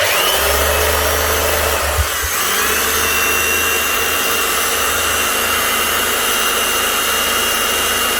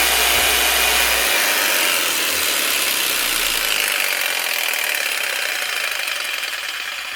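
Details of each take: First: Hitachi H 60 MC hammer motor sparking heavily and down on power: harsh rough whine with crackly hiss, uneven grinding tones as it slows, from a burnt-out armature with imperfections. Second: Older Makita 4300BV jigsaw, basic up-and-down stroke with variable-speed switch, after guide wheel repair: fast, even buzzing rattle of blade stroke, easing slightly as speed drops; runs smoothly and healthy.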